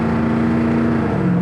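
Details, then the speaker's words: 1963 Ford Galaxie 500 Fastback with a 390ci FE V8 and C4 3-speed automatic, test drive under throttle: steady V8 pull, then a quick clean pitch drop. This is a normal smooth upshift with no flare or slip. "great. perfect. Yeah, I think it's a C4 3-speed auto. Really nice smooth shifts."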